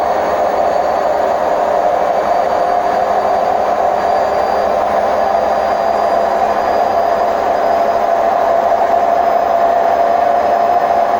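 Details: Hotpoint WMF760 washing machine on its high-speed spin program: a loud steady roaring rumble with a droning hum, typical of worn drum bearings.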